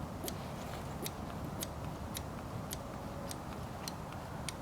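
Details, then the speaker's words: Manual hand lever on a sailboat diesel's fuel lift pump, engine off, priming normally after the pump was removed and cleaned: crisp clicks about twice a second, diesel visibly drawn in, to be pumped until the bleed valve pushes no more bubbles. "I'm just pumping a little pump here, and I don't know if you'll be able to see it, but you can actually see it sucking the gas in, or the diesel"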